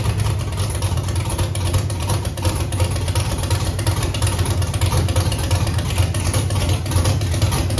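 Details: Chevrolet Camaro with Holley EFI-controlled 5.3 LS V8 after new cam sensor and Holley base tune reset: loud lumpy idle stumbling about three times a second, dead cylinders now on driver's side dripping raw fuel; misfire persists.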